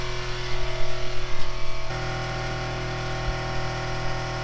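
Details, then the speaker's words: Onboard air compressor for a train horn, frame-mounted on rubber tabs in a Duramax truck, filling its tank: brief throbbing pulses settle into a steady, quiet low electric drone; normal running. "I did put rubber tabs on it, so it does make it pretty quiet, but it's not too loud."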